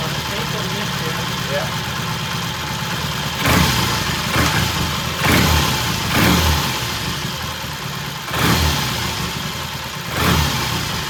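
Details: 1968 Triumph T100 twin with a new battery, with throttle cable slack adjusted: steady idle, and brief throttle blips return cleanly. Timing is spot on, mixture and idle good.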